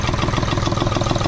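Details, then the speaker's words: Hyundai Xcent diesel idling after a previous engine overhaul elsewhere, misfiring with black smoke, before EGR cleaning (EGR valve later found carbon-jammed); fast clattery pulses with a shaky uneven beat: rough idle. "ये स्थिति है गाड़ी की बहुत condition खराब है sound में थोड़ा डिस्टर्ब हो चुका है और नेट में से बड़ी अजी तो गरीब आवाज़ ए रही है"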